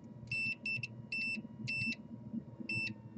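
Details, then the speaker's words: Modem-router combo checked after a lightning surge that killed a PS4: a multimeter gives five sharp high continuity beeps as the probes touch each Ethernet pair, showing all the pairs are shorted together; the Broadcom chip is suspected. "we're short between all pairs on our Ethernet"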